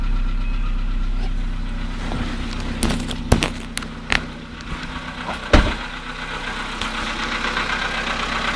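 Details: VW Polo Sedan at cold idle, +1.5°C, after standing 19 hours, 17,937 km; several sharp separate knocks at uneven intervals about half a second apart, cold-start knock, cause unclear.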